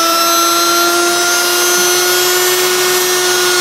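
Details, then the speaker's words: Secondhand washing machine brushed motor on a bench test rig, anticlockwise rotation, unloaded: clean steady high whine at constant pitch while cranked up, no sparking at armature, no crackle or bearing rumble; quiet, healthy motor. "you can hear the motor is nice and quiet of course it's not under load but I do know from experience that this motor is absolutely very quiet cranking it up now no sparking on the amateure at all"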